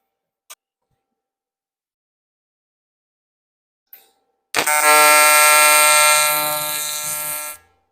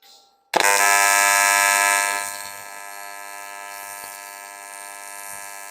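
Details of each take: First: YesWelder CT2050 AC TIG on aluminum, AC frequency raised from 85-100 Hz to 150 Hz with balance turned up: after a click the arc strikes into a loud steady high-pitched buzz for about three seconds; the tungsten burned up. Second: YesWelder CT2050 AC TIG welding aluminum, tungsten size unchanged, after dialing in settings that had run too hot: sharp strike then a steady even buzzing hum with fine hiss, no sputtering. Clean, stable AC arc.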